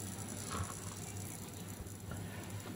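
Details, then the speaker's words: Polytron 24-inch LED TV power supply switched on from standby: faint irregular creaking and crackling over a low mains hum, traced to the switching transformer. "suara berderik eh kita akan lihat ya sumber suaranya itu Ini ada di trapo switching ya teman-teman ya"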